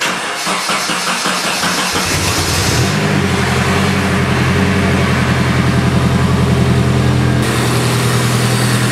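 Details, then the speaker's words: Nissan S14 Silvia first start in a long time after valve cover gasket reseal and new power steering pump: short crank, catches within about three seconds, settles into steady even idle, no misses or knocks; runs normally. "we go starting right up everything is working just as you should"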